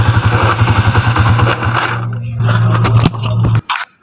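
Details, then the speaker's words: Rusi TC 125 motorcycle, noisy when in gear: small single-cylinder engine runs rough and loud with coarse mechanical clatter over its low thump, then cuts off; noise confirmed before engine teardown. "ito Naririnig na natin kung talagang Totoo ba siyang maingay at na confirm ko na maingay siya talaga"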